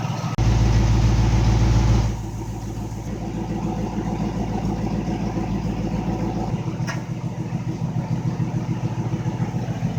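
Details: ZB MG Magnette V8 Coupe project car with a Triumph 2.5 PI gearbox and Laycock overdrive: after a brief louder burst, a steady, even V8 burble settles at idle with no misses or knocks; a healthy warm idle.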